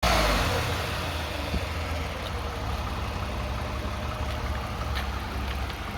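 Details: 2009 Toyota Sienna idling with a slight rev: low steady buzz with faint rattly edge from the transmission area; suspected torque converter, transmission pump or flex plate and bolts, unconfirmed.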